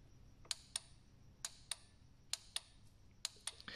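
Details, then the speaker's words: Ford/Mazda intake manifold air control solenoid (cases: 2005 Mazda 3 with P0661, 2008 Ford Focus Duratec) bench-tested cold by applying power to its pins: crisp on-off click pairs, so the solenoid is moving normally. The other unit made no sound and is the suspect. "and if you're hearing that click you know the solenoid is at least moving in and out in a cold condition type environment"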